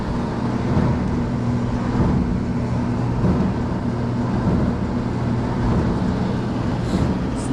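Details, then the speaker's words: Whirlpool Dry Miser Supreme electric dryer, complaint of loud running: a steady low tumbling rumble with a slight drum thump about once a second. Someone suggested hitting the drum with a hammer might fix it. "not a It's got a little like thump to it."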